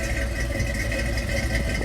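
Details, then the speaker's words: 1970 Ford Bronco V8 with MSD ignition, warm after a 4-5 mile drive: starts right up into a deep, even burble with no misses, knocks or ticks, not burning oil; clean, healthy idle. "let's go ahead and fire it up here starts right up it's got the MSD ignition"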